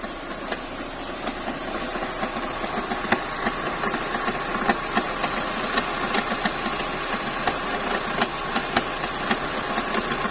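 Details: Renault K4M engine at idle: sharp, fairly regular knock about three to four times a second; abnormal internal knock, cause unknown.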